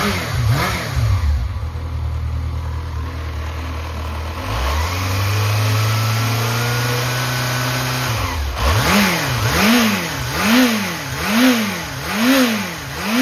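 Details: Yamaha XJR400 (4HM) engine assembly start test, compression measured: crisp throttle blips rising and falling cleanly with steady, even idle, no knocks, rattles or white smoke; healthy normal running.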